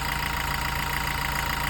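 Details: Toyota Revo diesel, 50,000 km, after intake manifold cleaning and EGR blanking with pipe removed: steady even idle with light regular injector ticking, no misses, knocks or hunting; normal healthy idle.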